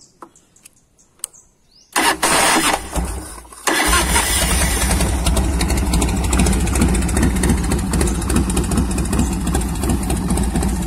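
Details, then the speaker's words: 1990 Harley-Davidson Fatboy Evo V-twin after carburetor cleaning (fuel wasn't reaching the jets, wouldn't start): cranks briefly, catches cleanly, settles into an even loping idle with no misses; running as before. "ใส่เสร็จก็เลยเอามาเทสเขาโอ้ยเดินเบาสังเคราะห์คันนี้fatboyEvoตัวปลาเหลืองตัวหัวเหลืองม.คตัวเทสให้เรียบร้อยติดเหมือนเดิมดังเดิม"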